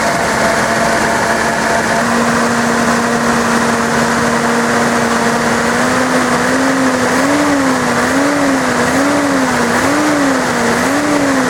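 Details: Datsun 280ZX engine after replacing its 32-year-old fuel injectors: steady, even idle whose pitch rises and falls smoothly on light throttle, no knocks or misses; some oil smoke from drips onto the headers.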